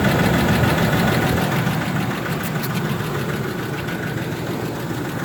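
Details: Ford F150 4.2L with an already rebuilt engine, idling steadily with a light, even tick about four a second riding over the engine; source of the tick not pinned down.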